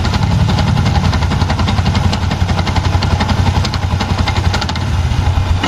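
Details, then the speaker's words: Yamaha Jupiter MX King with noisy engine and no steady idle: rough uneven rattling chatter from the starter/dynamo rotation, growing with throttle, won't stay running without throttle; starter one-way clutch fault. "ini staternya berisik kayak gini nih jadi putaran dinamonya berisik"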